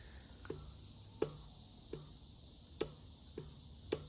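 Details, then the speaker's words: Ford 302 V8 from a Mercury Cougar XR7, abandoned 19 years, torn down after running minutes without oil pressure from a locked oil pump: bare crankshaft shoved endwise gives irregular sharp metallic clunks every second or two; excessive crankshaft thrust/end play, all rod bearings loose, whole engine worn out. "maybe you can hear it but there's a lot of there's a lot of crankshaft thrust on it so all the bearings this whole motor is just really wore out and ready to be refreshed"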